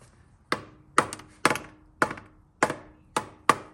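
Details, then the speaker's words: Hammer taps about every half second on a restoration project's rehung muffler, which had dragged in the dirt, give short, dead thuds with no ring. It sounds packed, like cement inside; later found scuzzy. "I mean, it sounds like there's cement in there."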